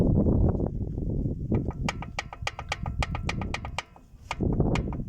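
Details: VAZ 2109 engine, crankshaft rocked by hand left and right: sharp, uneven metallic clacks about three to four a second from excessive crankshaft play; bearing shells and crankshaft need replacing, gearbox coming off. Crankshaft play knock.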